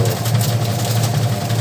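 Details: Sharp single-tub automatic washing machine converted to manual timer, after rewiring so pulsator and tub turn: low, steady motor hum without knocks or scraping; tub spins evenly, spin cycle works normally.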